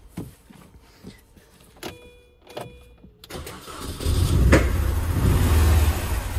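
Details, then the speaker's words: 2001 Mini Cooper R50 misfiring badly, hard to start, running on about two cylinders with a block of wood holding the throttle; lumpy uneven rumble with backfiring; cylinder one injector not firing and no compression; severe misfire. "so um is even obviously a little bit hard to start because um it just it's just running like on two cylinders"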